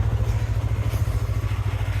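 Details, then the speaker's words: Yamaha R3, just revived and passed inspection: fires right up and idles with quick, even pulses, no misses or knocks; normal idle. "of course it fired right up just like a Yamaha should"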